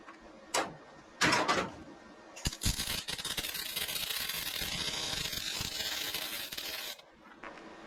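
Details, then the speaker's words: Welding on a 1968 Mustang fastback: crackling arc hiss with irregular sharp pops as Rust-Oleum paint on the surface burns out under the weld. "You know, you hear that little bit of popping. That's my fault because I got a little carried away with Rustoleum and got it on that surface and I shouldn't have done that. But it burns it out."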